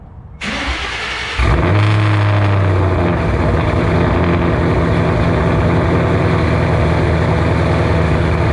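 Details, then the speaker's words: 2007 Shelby GT500 supercharged V8 with newly installed L&M NSR cams, first cold start: quick crank, fires cleanly into a steady, lumpy, fast cold idle with no knocks or misses; healthy, will idle down lower. "there you have it cold star she sounds glorious [Music] she'll idle down a little lower but holy cow guys"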